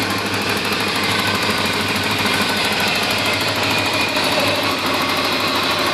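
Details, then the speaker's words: 1987 Porsche 928 S4 V8, fully cleaned and serviced, at idle: fast, light, even clicking over a smooth steady idle; injector tick, not valve-train noise, engine running fine. "It um it is truly just the injectors, but other than that, it uh purr along just good, perfectly fine."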